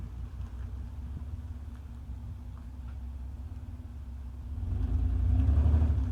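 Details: 1995 Mitsubishi 3000GT base model at idle: low uneven puffing exhaust rumble with irregular beat before a light rev, no check engine light, sometimes runs rough; owner suspects misfire.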